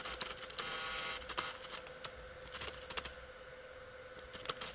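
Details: Sony FE 50mm f/2.8 Macro lens focusing close, with the barrel telescoping outward: a faint thin whir with light ticks in a quiet room, the normal focus-motor sound.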